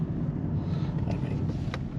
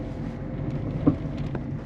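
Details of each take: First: 2008 Peugeot 207 1.4 turbo diesel 5-speed manual, test drive after replacing sway bar links and setting tyre pressures for clunk over bumps: steady road and tyre rumble at speed, no clunking; front suspension sounds normal. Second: 2008 Peugeot 207 1.4 turbo diesel, 5-speed manual, driving over holes: a dull front suspension clunk. Suspected lower ball joint, sway bar links or control arm bushings; the cause is not yet found.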